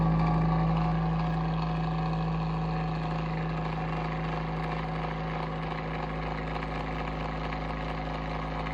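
Even low drone with a pulsing flutter about three and a half times a second, tone sagging slightly; motor running rough, cause unknown.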